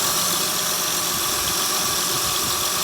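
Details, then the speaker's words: 2008 Honda Pilot after timing belt and water pump work, with timing set correctly: steady, even idle with a smooth hiss and no knocks, taps or ticks. It runs healthy. "Okay, so now everything is just stuck together. No noise."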